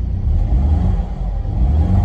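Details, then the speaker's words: Front-wrecked Mercedes E550 (2009/2010) V8 revving with a deep uneven lumpy rumble and skipped beats. The misfire persists, with intake camshaft Hall sensor short-circuit codes. "oh it's still misfiring yeah let's get to trip some codes again"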